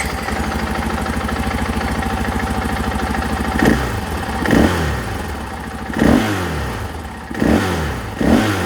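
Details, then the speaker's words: 2024 KTM 500 XW-F with Vortex ECU installed and stock emissions parts: steady thumping idle, then five sharp throttle blips rising and falling cleanly, very responsive. Normal throttle response. "response going to twist it all the way open fast well you can see in here now that it's very responsive"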